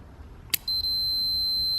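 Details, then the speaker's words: Automotive cooling fan relay, fan circuit substituted with a multimeter for continuity, relay actuated by hand: sharp click as contacts close, then a steady high meter beep holding on; relay switching and conducting properly. "we go anytime this switch closes it turns our fan on so we could even actuate it by hand and you can hear the beeping"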